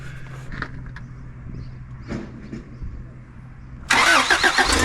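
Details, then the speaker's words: 1987 Toyota Hiace van, second test start after new exhaust install: weak uneven cranking, then it catches with a loud ragged rasp and puffing, running rough through a leaking exhaust; engine compression problem found again on recheck. "Well, that doesn't sound good. Shit. So not only was the exhaust leaking, Joey was no longer running on his own steam, and we haven't even moved him yet."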